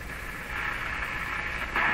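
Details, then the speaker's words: Hallicrafters S-38 four-band tube radio on AM band, full volume, outdoor antenna on long lead-in and wall-mounted speaker; steady hiss and static with faint mid band, no stations received; normal receiver background noise. "so it sounds like the radio's picking up a lot of stuff but it's not picking up any stations so what exactly is it picking up"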